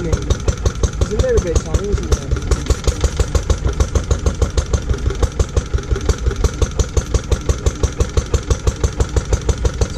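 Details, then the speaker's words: Lister D petrol single-cylinder barn find, first start in 20+ years after restoration: slow thumping about three beats a second, irregular and hunting. Owner suspects too much timing advance and carb settings; uneven running. "there are a few problems with the engine it's it needs a bit of fettling really and and just going through a few bits and bobs it's quite jumpy that probably requires a bit of timing adjustment"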